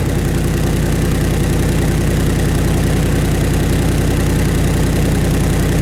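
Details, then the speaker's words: Truck with a MagnaFlow dual side-exit exhaust cracked at the muffler joint/seal, at idle: a loud, deep, throbbing rumble as if straight from the headers, almost no muffling; exhaust leak. "so yeah from that last clip the exhaust is too loud right now it has that you know kind of like that rumbling like it you hear it coming right out of the headers which basically it is"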